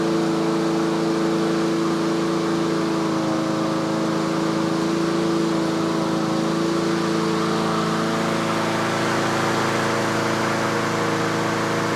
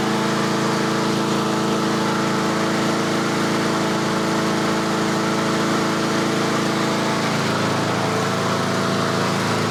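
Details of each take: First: Yard Machines/Yard-Man 21-inch self-propelled push mower in tune-up, warmed up: steady, even drone with constant pitch and no surging, about 3300 rpm by inductive tach, the usual set speed; running cleanly at governed speed. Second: Yard Machines 21-inch self-propelled push mower during a late-fall tune-up, just started cold with the choke turned off; steady single-cylinder running with a faint rise and fall in speed, slight surging until warm.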